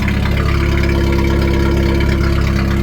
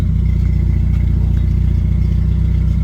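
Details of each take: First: 1991 Jeep Wrangler YJ 2.5L four-cylinder, muffler previously cut off, first start after new battery and coolant top-up: loud raw open idle with deep steady thrum and exhaust bark; straight-through exhaust without muffler. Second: 1991 Jeep Wrangler YJ 2.5L four-cylinder with Flowmaster Super 44 muffler fitted: deep even idle, then two clean throttle blips rising and falling smoothly; engine and exhaust sound healthy.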